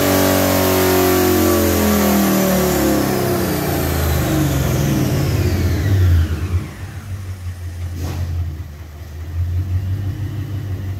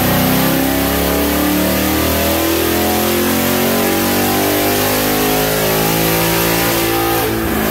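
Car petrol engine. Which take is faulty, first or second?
first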